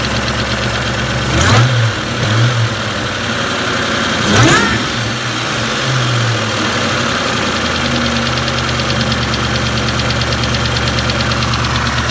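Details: 2003 Mustang Cobra SVT clone, 17 psi boost, warm: blips return to a loping idle with a light fast ticking over the exhaust; ticking only warm at or returning to idle, began after a 5th-gear high-speed run when the alternator failed; oil pressure good, lifters and rockers replaced.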